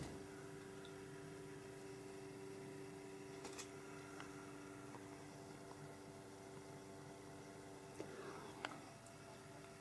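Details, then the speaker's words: Dell Alienware AW2725Q OLED monitor at 100% brightness, HDR off, with a bright screen; the internal cooling fan gives a steady low droning whir in a quiet room, noticeably loud; loud cooling fan. "Když jsem to zkoušel natáčet mobilem, tak to úspěšně vyfiltroval ten zvuk, takže snad teďka půjde slyšet to vrčení."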